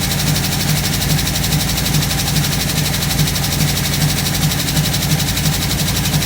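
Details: 1958 Chevrolet Biscayne V8 after carburetor rebuild, previously said to run on only four cylinders: lumpy, uneven idle with about two stumbles a second over exhaust rumble, sounds like a missing cylinder; cause unconfirmed.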